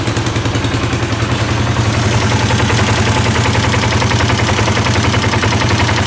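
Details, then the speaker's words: 2018 Polaris Sportsman ACE 570 single-cylinder idling, after timing chain replacement: light rapid high-pitched metallic rattle from lower end near water pump; very loose oil pump chain suspected, sister machine lacks rattle; chain to be replaced. "hear that high pitched rattle I if you can hear it I can hear it and I swear it's coming from right there we have two of these chams Dwight and Floyd Floyd does not make that rattle but Dwight does"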